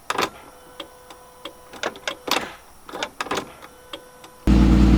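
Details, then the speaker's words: Engine-off clicking of the turn-signal flasher relay on a VR6 Mk3; the car then starts with the clicking continuing and idles weird and high while the alarm still flashes. "okay well the car started with the clicking so going on but now it's idling really weird interesting so you hear it clicking still"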